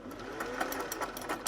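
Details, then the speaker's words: Singer 401A after cleaning and oiling, first powered run on its two-pin plug after decades of sitting: light, quick, even stitching clatter with a soft motor hum and no catches or grinding. It sounds really nice. "Get that down. Turn that around. That sounds really nice."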